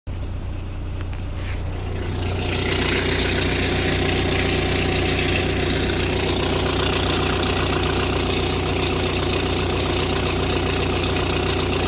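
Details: Audi A6 C6 2.0 TDI (BLM engine) diesel idling: steady low drone, faint whine and rough repeating pulse; owner cannot identify the strange noise.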